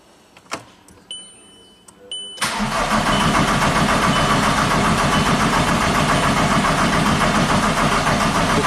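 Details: VW Jetta TDI after an engine swap, with a P0341 cam code and a newly fitted, bled high-pressure pump: steady, even cranking at about 3.5 turns per second, but the engine never fires. Crank, no start.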